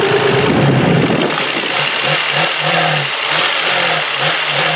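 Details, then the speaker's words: Worn demolition-derby Lexus engine after a race, smoking, misfiring, possibly low on fluids, after an additive was put in: revs rise and fall lazily with a wavering, uneven drone and never climb cleanly; engine will not rev out. "It just wants to chill out and relax. It doesn't even want to rev out."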